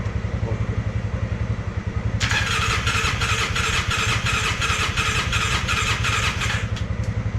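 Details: Polaris Sportsman 600 with almost no compression: slow, even cranking chuffs with one short burst of weak firing that never catches; very low compression.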